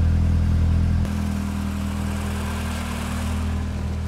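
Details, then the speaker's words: Renault Clio 16S fully warm after the faulty coolant temperature management sensor was replaced, cooling fan just cycled: smooth, even idle around 900-950 rpm with no stumbles, changed from before the repair. "Ici, on a bien un ralenti qui est aux alentours des 900-950. Donc déjà, il change par rapport à avant, lui."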